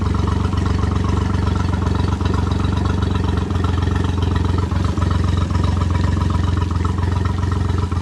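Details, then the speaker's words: Three-cylinder outboard after a new oil filter, three new plugs and fresh oil: lumpy, uneven putter at low speed, running on two cylinders. Top plug showed rust and water, owner suspects a head problem. Misfire. "i could tell the motor is not running on three cylinders right now sounds like it's running on two"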